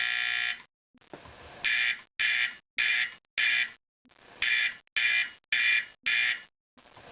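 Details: Simplex 4051 horn converted to 24 V AC 4050, final test with manual coding: loud harsh buzzing blasts in steady coded pulse, about two per second in groups, strong and clean; horn working properly.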